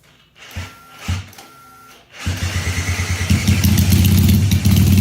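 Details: Supercharged Honda CL175 single at warm operating temperature, checked for a heat-related vacuum leak: after a quiet moment it catches and settles into a steady, even low thump with no surging; the earlier idle problem is absent.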